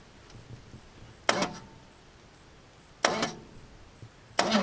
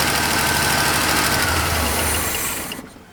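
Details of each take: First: Long-parked truck after the starter circuit was crossed over properly so the Bendix engages: two sharp clicks, then two slow, uneven cranking bursts of about two seconds; it sounds terrible, but the engine is not locked up. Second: Long-parked truck with GM HEI, its power wire fed 12 volts from a power probe while cranking: runs with a steady, even beat for a few seconds, then dies as the gas runs out; ignition is now working.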